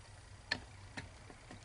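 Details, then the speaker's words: 1972 BMW 3.0 CS no-start, starter being hot-wired: sharp single clicks about twice a second with no cranking. It previously turned over; orange and red dash lights now show, and a blown fuse is suspected. Starter clicks, no crank. "it's like the starter is engaging but nothing's happening anymore"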